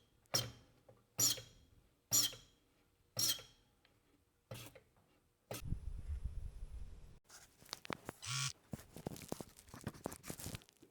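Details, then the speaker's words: Number one injector nozzle from a Caterpillar D6 9U diesel on a pop tester: four sharp pops with a high squeal, breaking right at about 800 PSI with no leak-off. A good nozzle spraying properly. "this is the number one injector and it's working nearly perfect I mean it's not leaking off off it's not it's got a good squeal breaking right at 800 PSI"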